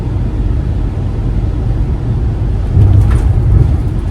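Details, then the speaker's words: Ford Transit camper van driving through the desert: steady low road and engine rumble with no ticks, creaks or rattles, a quiet, squeak-free cabin. "That's the sound of no squeaks in the cabins. I'm so excited. It's just a quiet drive."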